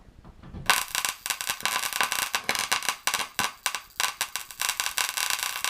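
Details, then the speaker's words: Paradigm PW-2100 v2 subwoofer amplifier board powered outside its case: sharp, irregular crackling and popping, several a second, with an electrical smell and smoke from a short on the board; a fire hazard. "well so obviously some sort of short going on there imagine what could have happened if that would have been left in the wall plugged in while you're away on vacation"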